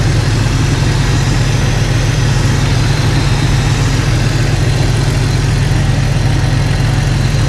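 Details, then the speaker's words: Jeep Cherokee XJ six idling after swapping in refurbished 4-hole injectors to replace cracked ones, no fuel leaks; low, even idle with steady pulse, no misses or ticks, nicer and quieter than before. "As far as the feel from it, it idles a little bit nicer, a lot quieter."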